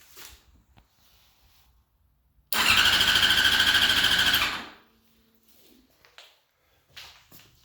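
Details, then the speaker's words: 2005 Yamaha R6, sat about three months, new battery and spark plugs, after a crash: about two seconds of quick, even starter whirring, and the engine never catches. Previously it only clicked; check engine light on. "Now it just cranks and cranks and cranks, but it won't turn over."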